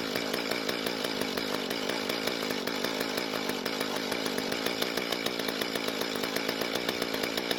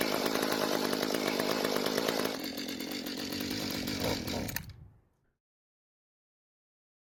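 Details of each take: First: Mantis two-stroke tiller, long unused, after rebuilding the damaged carb and running conventional mixed fuel: buzzy engine holds a steady, even firing beat with no stumbling or surging; running healthy. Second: Two-stroke tiller/cultivator long unused, carburetor rebuilt, on mixed fuel: starts and runs briefly, then sags and dies when trigger squeezed; likely carburetor not giving enough fuel, needs adjustment including idle screw.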